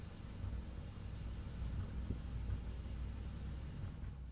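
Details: Subaru Impreza with check engine light, misfire on cylinder three from a faulty spark plug wire; heard at the tailpipe, a low lumpy idle with occasional soft pops, worse in drive or reverse, idle drops with each misfire.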